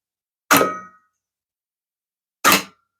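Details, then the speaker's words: Revox B77 MkI tape deck restoration, capstan motor spinning, after fitting a new PROM control card; pinch solenoid previously wouldn't engage. Two crisp metallic clunks about two seconds apart, each dying quickly. Pinch roller solenoid now pulls in cleanly. "so let's see whoa see huh success the pinch selenoid is"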